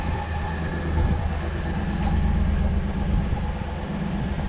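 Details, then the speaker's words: Engine with an air-leak code, hesitating under load in gear: steady idle with a faint quick light tick over the engine note, suspected lifter tick or very small exhaust leak; no fuel smell, cause not confirmed. "That little ticking noise, I'm not exactly sure what it is. That's what I'm gonna have to investigate. It almost sounds either a lifter tick or a very small exhaust leak."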